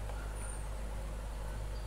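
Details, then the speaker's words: Old electric fan, after cleaning bushings gummed by cooking oil, running at low speed: smooth, even low hum, no rattles or scraping. "E aí vamos ver ó na velocidade baixo e a funcionou belezinho não tô mais fazendo barulho"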